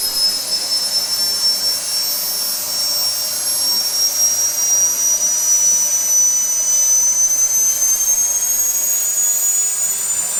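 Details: SWIWIN SW220B micro jet turbine on test stand, second run after adjustments; steady high-pitched whistle, gently rising tone over constant roar, settling to idle near 38,000 rpm, about 2.5–2.6 lb idle thrust; normal clean idle.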